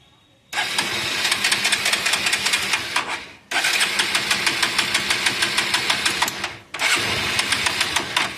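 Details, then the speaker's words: Hero Passion Plus BS6 motorcycle with an oil leak, before the home fix: three bursts of quick, even cranking that never catch and die off each time; no start from a spark plug fouled wet with oil and carbon. "App ஆயிடுது. வண்டிய start ஆகல."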